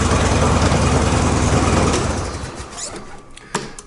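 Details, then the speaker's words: Zero-turn mower deck after replacing two spindle bearings and the idler pulley bearings: engine and blades run strong then wind down with no bearing growl or grinding, where before the bearing noise drowned out engine and blades; normal. "you notice there's no bearing noise used to the bearing noise was so loud that you almost couldn't hear the engine or the blades over the bearings"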